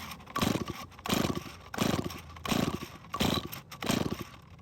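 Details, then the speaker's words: Stihl chainsaw that won't start, fixed about 3 years earlier, compression tester fitted: six slow heavy rope pulls with stiff compression puffs; reads 170 psi, engine in extremely good health, hard to pull. "After several pulls, the reading is an amazing 170 psi, which means this engine is in extremely good health."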